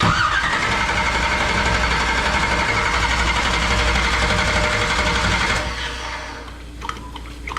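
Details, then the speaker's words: 1969 Camaro restomod with a 496 big-block, first start in the car: steady starter churn at about four beats a second with no firing while fuel primes a dry carburettor. Cranking without starting. "let's start it rest a bit yeah no fuel yet"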